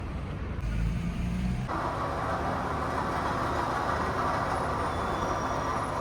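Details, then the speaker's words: Toyota Camry 2AZ engine at idle: constant whirring grind from the water pump at the front of the engine, steady pitch; pulley visibly wobbles left and right with clear play; worn water pump bearing, pump replaced. "तो आवाज़ जो है ये जी water pump की है। पुली आप उसकी देख सकते हैं, थोड़ा राइट लेफ़्ट भी हो रही है, उसमें प्ले भी जो है वाज़िया नज़र आ रही है।"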